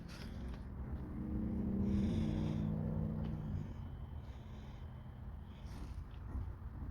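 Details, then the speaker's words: 2009 Toyota Sienna with cold rear heater: rear blend door actuator run from hot to cold on the rear position gives a faint two-second motor whir, no clicking or grinding; actuator works normally, so next step is flushing the rear heater core. "So, you can hear it very well. It's working. That means the blend door actuator is working."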